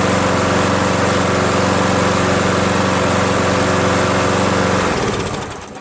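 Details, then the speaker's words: Craftsman 7HP green self-propelled lawn mower, long hard to start; after adding fresh gas, steady even single-cylinder putter with no misses, then winds down cleanly at shutoff; never started that well before; owner suspects old gas was bad. "I gotta tell you something man it's never started that well before honestly"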